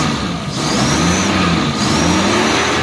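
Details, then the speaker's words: Suzuki engine after fixing a misfire on the first cylinder: revs climb smoothly with no stumbles or skips; no misfire, normal revving. "हां यार लगाओ cell अब गाड़ी अलुला आप देख सकते हो मिसिंग भी नहीं कर रही गाड़ी को एक्सट करो"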